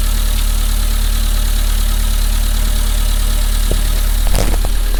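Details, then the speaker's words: Engine after new coil pack, new plugs, secondhand coil, leads and throttle body: runs without misfire, check engine light on, lots of grey exhaust smoke, owner thinks too rich; steady slightly uneven chuffing idle; rich running idle. "oh it's actually running although i've got check engine come up on the dash but it is actually running and not misfiring and so on"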